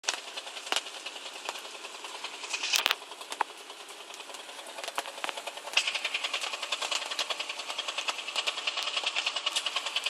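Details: 135LC with a sharp, light top-end ticking knock at about three per second over a thin engine note, growing steadier; source unknown.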